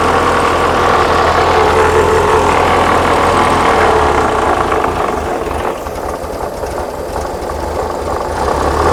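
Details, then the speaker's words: 1979 VW Super Beetle, fuel-injected, warm idle: steady beat about three to four a second with faint airy hiss; a vacuum leak is suspected. "she's idling down it's on it warm idle startup let me get this uh button up and uh get a get a timing light on this do you have a vacuum leak sounds like the fan down the vacuum Le"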